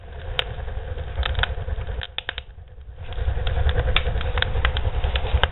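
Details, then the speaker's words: Barrel woodstove with a modified air intake, door opened slightly: deep steady low roar with scattered crackles and pops, easing then surging back as it pulls a hard, healthy draft. "we will have another clip when I fire this stove up so we can really hear it roaring okay stay tuned"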